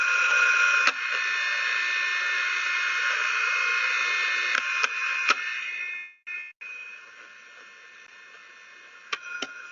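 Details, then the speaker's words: Ultrasound listening on a hydraulic cylinder (linear actuator): steady rushing hiss with a faint whistle that breaks off in spots; jackknifing puts high side load on the rod, which wears out the cylinder seals. "common failures we see on cylinders on linear actuators and cylinders is is jackknifing is probably the most common where we're putting sy high loads on this rod and basically that side side load will take the seals out"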